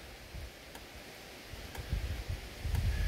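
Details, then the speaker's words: Yamaha Phazer snowmobile cold engine, hard starting with low battery: faint sharp clicks about once a second over a low rumble as diagnostic modes 36 and 37 pulse the injectors open to prime fuel into the intake manifold. "we are priming fuel by clicking open that injector for that number one cylinder on number 36 here we're going to move it up one more to 37."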